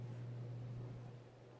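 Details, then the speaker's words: Vintage Hunter/Robbins & Myers Original 52" ceiling fan, late-70s/early-80s model 22274, 2.5 A, oil-bath pancake motor, freshly oiled: steady low hum with a slight wobble, nothing rubbing or ticking; runs smoothly and quietly. "it's a little buddy but um other than that want to get up to speed it's pretty quiet"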